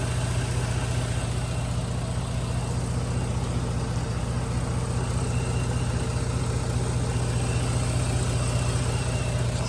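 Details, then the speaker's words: 2009 Jeep Grand Cherokee idling after the dealer repaired a low oil pressure fault: smooth, quiet idle with an even beat and no ticking or knocking. No oil light. Smoke at the front is possibly oily residue burning off. "and it sounds good it sounds quiet"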